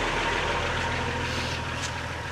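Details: Mercedes 508D/613D diesel run in neutral after cooling system flush and 50% antifreeze refill to bleed air: steady even idle, low smooth throb, no knocks or misses; normal idle.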